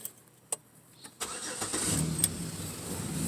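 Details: 2006 Chevy Equinox after muffler replacement and exhaust clamps tightened: door clicks, engine catches and settles into quiet, even idle with no exhaust rasp or leak puffing; normal.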